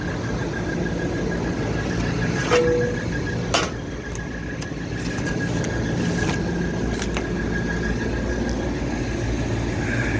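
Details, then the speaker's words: Older, neglected York rooftop package unit running with both cooling stages on, dirty filters and condenser coils: faint thin high squeal over the running rumble, sharpening toward the end; blower belt squeal, suspected loose. "I can hear the belt squealing. It's probably loose."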